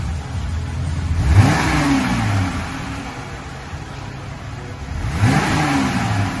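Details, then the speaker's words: 2020 Jeep Gladiator, 3.6 V6, fully stock exhaust before the muffler change: two quick blips from idle, revs climbing and dropping cleanly with a mellow stock tone. Normal exhaust note. "This is a 2020 Jeep Gladiator with the 3.6 V6. It's all stock."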